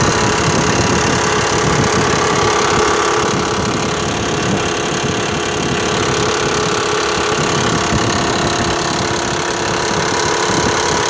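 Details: Mitsubishi Pajero 4 3.0 engine, heard on arriving at the parking lot: steady idle with a regular light tapping knock, about four per second, over the engine note. The origin of the knock is unknown.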